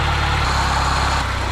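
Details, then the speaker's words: 2010 Mini Cooper at idle, heard from the belt side: steady gravelly whirr, more bearing rumble than knock; suspected worn water pump bearing. "can you hear that you hear it on this side of the car it's quite bearing sounding didn't quite sound as knocky as the other one this sounds more like a water"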